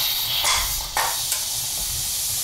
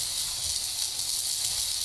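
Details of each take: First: Pressure canner processing beef pot roast, steam still venting as heat is lowered and the pressure regulator is added: continuous, steady, even hiss; normal pre-pressurizing vent. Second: Pressure canner processing beef pot roast: heat lowered too much, so the pressure regulator weight stopped rocking; only a smooth steady steam hiss with no rhythmic jiggle.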